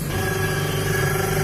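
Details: Videocon Digimarine washing machine: loud steady droning rumble with a low hum and whining tone from the gearbox, fixed by replacing the gearbox.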